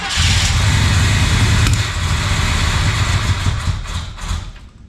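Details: 1968 Chevrolet El Camino SS 396 sitting since 2011, started on fuel poured into carburetor: deep rumble catches, runs unevenly a few seconds, then fades as fuel burns off; needs proper fuel supply.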